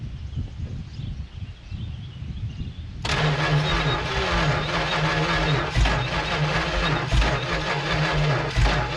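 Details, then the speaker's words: 1970 Dodge Super Bee big block, revived from junkyard, fed fuel by hand, hot-wired, new oil pressure sensor: engine turns over with slow, uneven chugs and never catches; sparking and trying to start; owner suspects the battery is getting weak. "ah this battery might be getting weak come on fire up i know you're trying"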